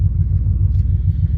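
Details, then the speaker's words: Chevy engine after replacing a stuck knock sensor: deep, even rumble pulsing about nine times a second with no knock or misfire; running smoothly after repair. "running good. Running really good."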